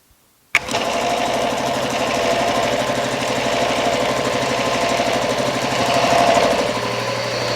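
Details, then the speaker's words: Retrofitted Eaton/Ingersoll Rand air compressor with upgraded 7.5 hp motor starter replacing the original pressure switch, test-button run: kicks on into a steady even chugging of about three strokes a second with no knocks; pump healthy. "this should just kick in and I should release the button it'll kick out yes cool"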